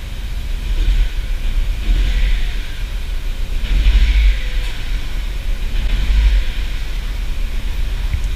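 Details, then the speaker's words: Audi TT MK1 under restoration, restarted after unplugging a suspect coil: deep lumpy idle swelling and sagging every couple of seconds, running exactly the same as before, still missing on a cylinder; cause unresolved. "je je comprends pas franchement je suis perdu parce que normalement ça a d çaaurait dû empirer sauf que le résultat est exactement le même"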